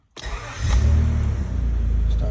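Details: 1996 Honda Accord V6, ignition-on no-start with a new starter, after running a separate switch wire to the starter: brief crank, then it catches, flares and settles to an even idle. Engine starts and runs.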